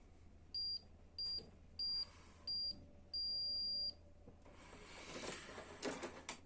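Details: Canon i-SENSYS MF4410 printer control panel, testing a new replacement button with a tester on its contacts: four short high beeps then one longer beep, clean and steady, meaning the contact closes and the button works, unlike the failed original buttons.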